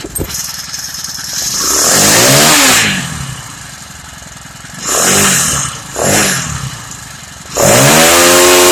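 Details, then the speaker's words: Honda GXH50 49cc four-stroke, unrestricted with Honda flywheel and ignition coil, run before the clutch install: buzzing at a high idle, revved in several quick bursts that rise and fall cleanly, no misses or knocks; healthy. "That's the way the motor's supposed to sound like. Not that garbage fucking noise that it makes. This is an unrestricted engine."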